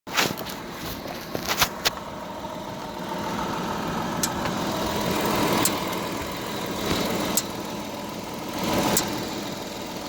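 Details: Audi A7 idling while stationary: sharp single knocks every couple of seconds, apparently from the driver-side wheel/suspension, heard only when stationary; cause unknown.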